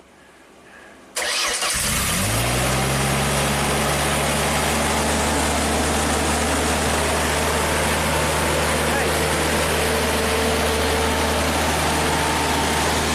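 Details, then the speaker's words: Ford-powered JLG boom lift, throttle body propped open with a hose clamp: cranks briefly, catches and settles into a steady but slightly uneven idle. "We got a hose clamp stuffed in the throttle body just to prop it open in here, and I think this thing will just fire right up and run at a half decent idle."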